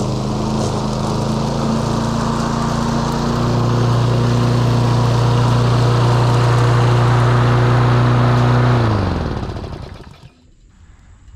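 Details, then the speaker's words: Roadside-found John Deere JS40 mower, single-cylinder, run on directly fed fuel after the carb was refitted. Steady drone, revs pick up, holds an even speed, then winds down cleanly: normal running. "yeah so the John Deere's a runner"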